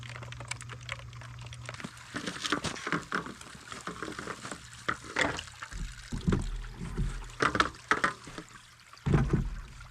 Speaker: well here's the problem definitely some ice chunks in there you can hear them rattling around